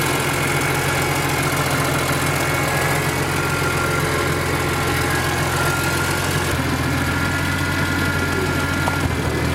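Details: BMW E46 M3 fully warm (oil near 200°F), idling: steady low idle with uneven stumbling pulse and faint knock; misfire/knock and power loss at low rpm only when warm, appeared after new coils, plugs, injectors, O2 sensors, catback; compression fine; cause unknown.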